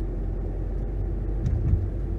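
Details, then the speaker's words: 2011 Nissan Rogue FWD after replacing wheel hub bearing assemblies and brakes, pulling away through about 20 mph; smooth low road rumble with no droning hum or growl, and no pedal or steering vibration; front bearings healthy. "All right, so some observations. I do not feel any vibration in the pedal or in the steering wheel."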